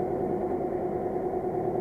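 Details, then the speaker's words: 3-year-old pool room dehumidifier, poorly maintained: steady rough whirring drone from the condenser fan motor after every nut and bolt was tightened; nothing loose, bearings in the motor suspected failing, replacement motor needed. "it's not something loose but underneath it here and it sounds like the bearings are just going in the motor"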